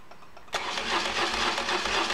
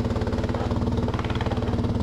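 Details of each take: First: BMW oilhead after replacing a flywheel damaged by a misaligned starter (missing alignment pin). Test start heard close up: clean, even cranking about four beats a second with no clash, grind or screech. Normal starter cranking. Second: BMW motorcycle idling after a starter install for flywheel-damage starter noise: pulsing idle with a loose tinny rattle on every exhaust beat from a baffle falling apart inside the muffler, louder than normal.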